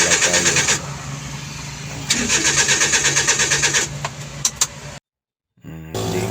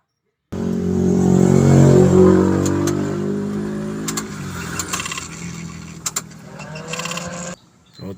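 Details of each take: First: DA63T with K6A engine, crank no start: the starter cranks steadily at about three turns a second but the engine never catches. Fault traced to poor contact at the ignition fuse. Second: Suzuki DA63T with K6A engine that would not start, after a blown ignition fuse was found and ignition contacts cleaned: cranks, catches and settles to a steady, even idle with no misses or knocks, now running normally.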